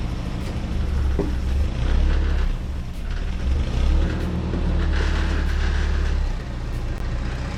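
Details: Mazda Miata after the new full exhaust was installed: deep, even rumble that rises and settles smoothly with no lawnmower drone. A slight rattle was noticed, which the owner traces to the power plant frame tube rubbing nearby.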